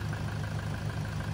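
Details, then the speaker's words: 2011 Toyota Hilux KUN26R, 1KD diesel, manual, with modified exhaust, after alternator replacement; steady, even idle with a smooth low rumble, no knocks, ticks or squeal; healthy. "turn it off, the car. Yeah, there's an exhaust. I think the sound is a little bit, because this one is a modified exhaust also."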